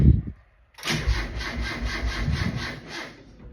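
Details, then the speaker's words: 1.6 Miata engine on Link ECU, first startup after motor install, timing reset with new crank angle sensor and fuel pump regulator fitted: starter cranks sluggishly at about three compressions a second, dragging and uneven, never catches; weak cranking, no start, cause unconfirmed. "No, it was the last attempt I had."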